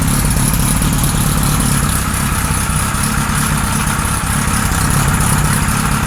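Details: 1978 Kawasaki Z1-R four-cylinder on the stand, first start after carbs installed, idle raised, no enricher: rough lumpy idle with some top-end clatter; carbs 1 and 4 good, 2 and 3 out of sync, needing adjustment.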